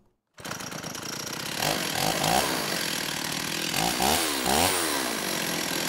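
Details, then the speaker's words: STIHL 028 AV Super chainsaw, straight-gassed and then rebuilt by an inexperienced friend with non-OEM parts; buzzy two-stroke surging up and sagging back, will not hold idle despite low-speed needle adjustment; owner suspects carb issue, crank seals seem fine: rough running. "it's almost acting like a carb issue you know it doesn't actually seem like we have any crank seals leaking"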